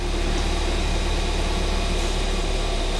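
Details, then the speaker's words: Ford Fiesta ST running after a cloned replacement ECU was fitted, following long running trouble; warming up, with an even, steady note, no stumbles or misfire: normal smooth running. "but i honestly don't believe it i don't believe that it's running right after all the trouble we've had with it unbelievable"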